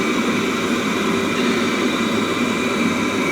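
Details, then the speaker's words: Webasto Thermo Top C auxiliary heater from BMW E60 after repair gives even steady rushing roar from burner and fan, no surging or knocking; runs like new, no smoke, no errors. "working like new, no smoke"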